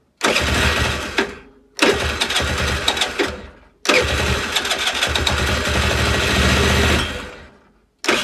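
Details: Longjia 50cc two-stroke scooter after carb cleaning and electrics work, no battery, powered by a 12 V portable jump starter, spark and fuel confirmed: several short sputtering start attempts, then it catches and buzzes steadily for a few seconds; starts and runs.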